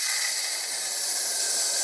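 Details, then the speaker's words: VW T4 Transporter 01P automatic transmission clutch air pressure test at the test port: steady hard air hiss with no sputter or big escape; the clutch audibly applies and seals, working properly. "i can hear it applying so that one's working good as well"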